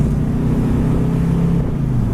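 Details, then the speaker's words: 1969 Buick Skylark convertible, 96,830 miles, power steering, while driving; strong, even V8 rumble pulling cleanly as revs rise and settle, no knocks or misses, transmission shifts nicely: normal engine running. "Runs fantastic. Transmission shifts nice."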